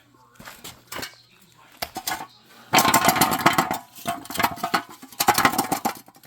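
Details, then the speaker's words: Catalytic converter removed from a 1990 Dodge Grand Caravan LE and shaken, giving bursts of loose metallic clatter like broken pieces rattling inside the shell. The owner believes the converter is shot; not confirmed. "I do believe that the catalytic converter is shot nice"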